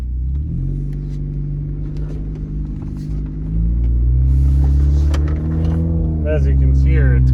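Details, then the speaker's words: 2013 Honda Fit at about 183,000, cold; loud, raspy, deep exhaust note with rough puffing at idle rising on throttle, quieter once warm, from a leaking flange gasket at the catalytic converter seam. "sounds like a race car but it quiets down after you drive it for a while"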